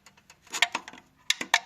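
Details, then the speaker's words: 2012 Audi Q5 turbocharger, engine off: light metallic ticks and clacks as the wastegate actuator rod is wiggled by hand; worn bushing has play so the flap won't seal, turbo can't build full boost, a common Audi problem. "It's got a rattle to it. Yeah, that should be like that, and it's got a rattle. So this is a common problem on the Audi turbochargers."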